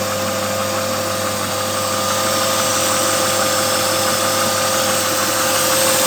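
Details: BMW 323i E36 engine at steady idle: thin constant whine over it plus light ticking/knocking around three per second; source unknown, owner asks whether it is normal.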